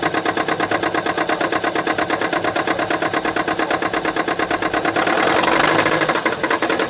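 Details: 2015 Kia Sportage SL, 2.0 petrol G4KD (1998 cm³, 122 kW/166 PS), 118,709 km, at idle with a sharp, very even, steady tick several times a second from a defective injector.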